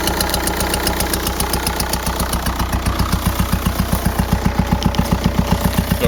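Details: 2004 VW Jetta TDI PD diesel at idle: sharp regular rapping about six or seven per second from a failed worn camshaft, not an exhaust leak; worsened over weeks until it lost speed on highway grades.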